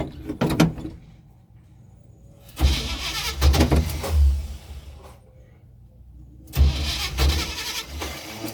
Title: Hard starting the 1984 chevy